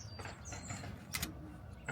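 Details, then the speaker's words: Carbon Fiber Lomax folding hard tonneau cover, freshly installed on new Rivian R1T, driver's side latch: gritty crunches and clicks, jerky, spring crunching as latch binds; nothing looks abnormal, passenger latch moves freely. "You can kind of hear that spring crunching around in there. I mean, nothing looks abnormal up in there, but this latch just does not move very freely."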